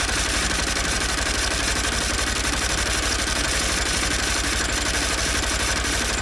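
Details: 2016 Honda Bros 160 after new original piston parts replaced a worn piston found after the 6,000 km service: busy rattly mechanical clatter over a fast steady idle, louder than the earlier fault; internal engine noise, cause undetermined.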